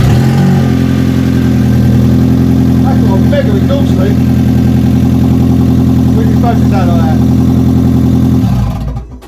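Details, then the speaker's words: Rare ABT Audi TT after new cambelt and fuel system flush, first start on the old battery: loud, raspy, blatting idle with a chuffing edge, then it dies; exhaust leaking big time at the disconnected flexi pipe, exiting the front. "that's coming at this end yeah there's something leaking big time there we go it started oh my god it ran and it sounded all right to be fair that sounded a bit weird that exhaustion i wonder why that is and that sounds like it was exiting this side"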